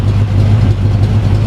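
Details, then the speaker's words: 350 Chevy V8 in a Jaguar after fitting 1.6 offset rockers: deep, lumpy, even idle with steady low throb, no ticks or knocks, a bit more cam chop than before; healthy idle. "so it's now okay right so to me it sounds like it's got a bit more chop to it"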